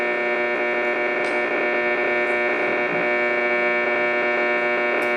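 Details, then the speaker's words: Arcing power pole about a block away, captured on an old TS690 transceiver with the S meter well over S9. A harsh, raspy buzz above the receiver hiss, wavering slightly in strength; the variation is typical of power line noise. "You can hear a little variation in the noise too, which is frequently an indicator that it's power line noise."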